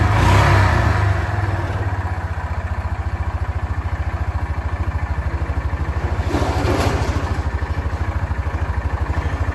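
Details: 2006 Yamaha Rhino 450 at low idle after oil added: steady tapping roughly three a second on the beat; owner thinks it kind of sounds better, possible engine knock, cause uncertain, rebuild planned.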